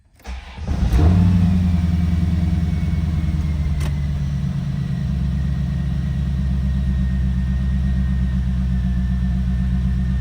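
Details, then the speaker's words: 1990 Chevrolet Corvette convertible V8 start: cranks and catches within a second, flares up, then settles to a smooth, even idle with no knocks or ticks; runs healthy. "Everything up and running just as it should be now."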